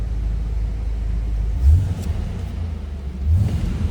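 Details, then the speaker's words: 1990 Ford Mustang ASC McLaren convertible, V8, 57,211 miles, just started, no warning lights: deep, even rumble with two quick throttle blips rising and settling cleanly, no knock or miss; normal V8 rev. "Nice sounding car, too."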